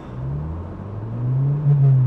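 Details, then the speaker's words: Ford Probe from Copart on a road trip, after the speedometer starts jumping about 10 mph: engine note flares and climbs over road hum without the car pulling; owner suspects the transmission has been lost. "Yeah, we may have just lost our transmission. Oh, this is bad."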